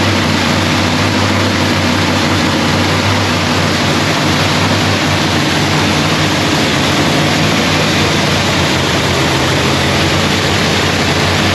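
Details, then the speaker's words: Procharger-supercharged Lexus race engine, freshly rebuilt with new parts, running a quick heat cycle. Loud, even, steady roar with no knocks, misses or rattles; pulls smoothly and sounds healthy. "Kyle really couldn't hear me because this thing was just back here screaming. She sounds so good."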